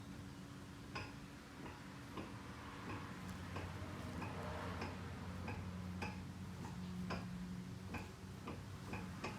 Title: Front CV axle knocking sound 1